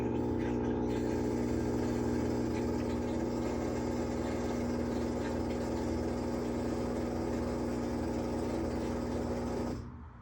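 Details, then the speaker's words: Whirlpool top-load washer trying to spin: steady motor hum with light repeating whir, basket never picks up speed; tub hub suspected as not engaging, to be replaced after removing wash plate. "so I think we have what you call this is either the tub hub that's where the washer is trying to spin but it's not engaging"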